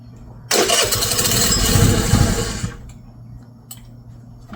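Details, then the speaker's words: MVP 49cc Chinese scooter, after carburetor, intake, spark plug and coil replacement, airbox closed, throttle cable connected: catches with a loud, uneven rapid popping burst, falters after about two seconds and dies; starts but won't stay running. "So, I feel like we're kind of back where we started here, except now it starts. Um, but now it won't stay running."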